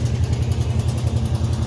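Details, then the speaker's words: 1986 Chevrolet C10 Suburban small-block V8, unknown history, idling: lumpy idle with a faint, quick, regular tick; owner suspects a sticky lifter, and a broken exhaust manifold is rattling. "you hear that lifter tick well that engine is not it's blown up it's it's got a tick and lifter"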